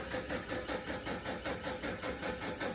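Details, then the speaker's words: Camper van, cranking with a borrowed inertia switch fitted: steady rhythmic cranking about four compressions a second, never fires; still won't start, fuel pump relay and fuse checked next. "no real further with getting this thing started"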